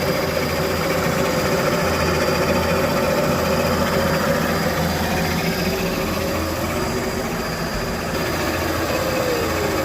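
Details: Test run of an engine, warm, holding a steady, even idle with a smooth low hum and no knocks, misses or surging; it was cutting out at tick-over, blamed on no idle control valve or stepper motor, possibly a slack throttle cable.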